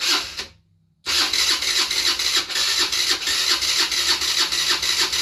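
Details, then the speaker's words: 50cc scooter being revived, with spark, fuel and oil: starter spins it with even compression pulses about three a second but it never catches, only puffs; cranks without starting, carburetor not delivering fuel and needs cleaning. "if it fires up it Puffs a little bit but uh I got to clean that carburetor"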